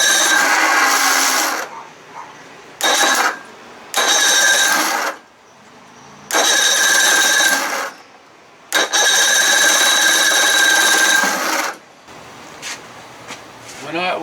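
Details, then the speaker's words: 55 hp Evinrude outboard with newly installed starter: repeated whirring starter bursts with pauses, never catching; fuel is pouring out rather than being drawn in, owner suspects fast-start lever not far enough forward; cranks but won't start. "look there's gas filling right up in here man i can't take that noise there's gas borne out why isn't it getting sucked into the motor"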